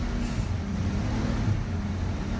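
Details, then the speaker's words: 1968 Ford Mustang, stock 200ci inline six with carburetor, already warm from driving: starts right up and idles with a steady, even low rumble, no knocks, misses or surges; normal warm idle. "I actually use this car a little bit today so it's still warm and it starts right up"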